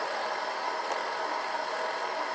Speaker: you'll notice it's playing up and down filling the bobbin you can adjust the tension right here I like to hear it whine a little bit that means it's putting it on with lots of nice tension